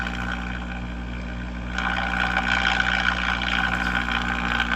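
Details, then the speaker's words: Early-1960s Knight Kit All-American 5 AM tube radio, water-damaged, replacement 35W4 fitted: constant low mains hum under a weak, hissy station that doesn't change with tuning; the 50 µF/30 µF 150 V filter capacitors have failed. "our filter is obviously trashed."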